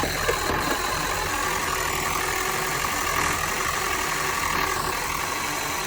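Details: Toyota Prius (20-series) petrol engine with oil consumption, light knock and misfire, after fitting Yaris ignition coils: even idle with no skipping or stumble, all cylinders firing; misfire appears gone, though knock from rods or worn engine still suspected.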